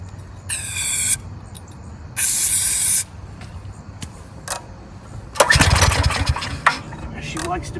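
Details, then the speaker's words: 14-year-old Briggs & Stratton generator that sat 5+ years, choked and primed with carb cleaner: two sprays, it fires, runs ragged about a second and dies on the sprayed fuel alone. Fuel delivery fault, possibly a gummed-up fuel line. "choked so what this tells me is it's a fuel delivery issue so now it's time to start playing around and trying things"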